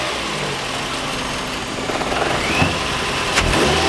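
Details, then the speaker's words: Old Ford, possibly with a weak battery: the engine fires promptly and settles into a steady even run with no misses or knocks; it started right up. "Started right up! Drive this old Ford into the garage!"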